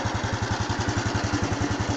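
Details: Honda Wave 110i (fuel-injected) after replacing the fuel pump with a new genuine one for a start-no-start fault; engine starts immediately and idles with a steady putter about nine beats a second, no stumbling, healthy idle.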